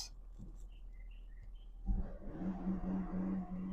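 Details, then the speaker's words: 2000 Toyota Crown Estate Athlete G with code P1235 (high-pressure fuel pump circuit): low quiet idle that lifts only slightly into a flat drone on throttle. It runs and goes through all gears but won't rev or accelerate; cause unconfirmed despite several attempts. "I can pull off and it um it goes in all the gears and everything, but for some reason it just will not accelerate. Uh, it will not accelerate. It will also not rev up."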